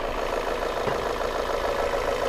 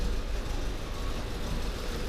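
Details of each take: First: Volvo S40 engine at idle after a new collet clamp sealed an intake air leak; it had misfired and run rough with MAF and lambda codes. Now smooth and steady with no hissing or hunting, though a faint tapping remains, cause unknown. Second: Volvo S40 engine at idle: lumpy, uneven running with irregular coughs and dips; misfire from a faulty air flow (MAF) sensor with fault codes, lambda codes and an intake air leak.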